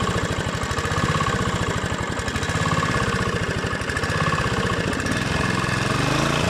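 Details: Honda GV150 single-cylinder engine test after rebuild, transmission not yet reassembled. Even, crisp firing rises and settles cleanly with the throttle, fairly round on acceleration, no knocks or stumbles. Normal running.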